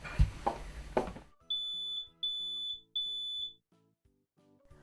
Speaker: when you hear that alarm it means get outside and stay outside because there's smoke and that means there could be fire